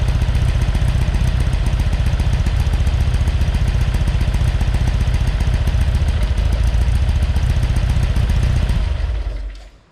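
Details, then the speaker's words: Porsche 912 rebuilt engine (NOS Solex carbs, mild cam, minor head work), oil pressure 60 psi cold and about 38 psi hot at idle; steady, even air-cooled flat-four clatter with no misses or knocks, normal running. "have actually run this and it's sounding really good oil pressure's good at 60 pounds of pressure when it's cold"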